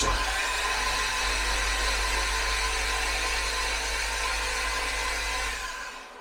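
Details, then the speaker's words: Jaguar S-Type V8 with newly installed engine, first start attempt: fast, smooth, even starter whirr with no knocks or drag, oil light on; cranks nicely but fails to start; normal cranking. "Yeah, that oil light is on right away. So I think we're probably starting to build our pressure, but I just don't think that this works like an old car where I can see if we're building on pressure. But that does crank very nicely."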